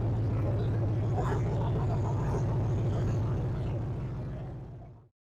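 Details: 6.0-litre LS V8 running on a homemade test-run stand before installation: deep, even rumble holding steady for several seconds, then a clean shutdown; runs smoothly with no knocks or misses.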